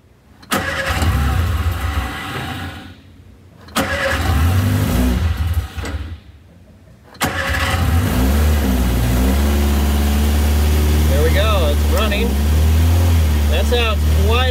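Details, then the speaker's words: Shorrock supercharged Austin-Healey Sprite, first start after spark plugs refitted with oil pressure and fuel confirmed, choke held out: starter churns, engine catches after a couple of tries and settles to a steady idle with brief blips; normal start and idle. "different than a normal sprite really i don't know if it's the exhaust or the supercharger but that is the first start for the sherock supercharged sprite"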